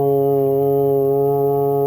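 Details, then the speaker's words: House water pipes: a loud, steady, deep drone for about two seconds when toilets, sinks or showers run, coming from the pipes behind the walls. Low water pressure is the cause. "e've been having a humming noise whenever you use the toilets or the sinks or uh sometimes even the showers."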